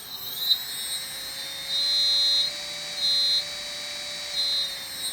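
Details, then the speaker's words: Electric RC motor on a Turnigy Plush 32 series ESC being set up with its programming card, throttle stick moved: high motor whine that jumps abruptly near full throttle instead of rising smoothly; throttle response jump. "so y'all noticed that it does say that it's normally good for helicopters the slow start but no fixed wing is up bang we're gone let's do that sort of like when the lease you can hear that that it's just a click on the on the on the stick can you hear that the jump isn't it"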